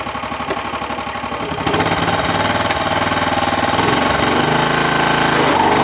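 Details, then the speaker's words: Kubota riding lawnmower engine running after sitting for years: steady running with rough rapid tapping about four per second; owner calls it lifter tick and suspects a slightly bent valve, not confirmed. "as you can see, it actually runs pretty good. Got a horrible lifter tick, which really kind of sucks because the motor is perfect, but I really don't want to spend any money on it."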